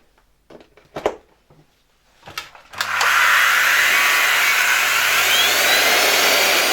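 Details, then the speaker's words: Motor removed from LG V-3340D vacuum cleaner, run on the bench after a few knocks: harsh, hissy whine with a rough edge; obvious sparks flying along the commutator from one brush, likely source of an unpleasant smell; commutator brush sparking. "You could also see some pretty obvious sparking on one of the brushes. Sparks were flying out along the commutator."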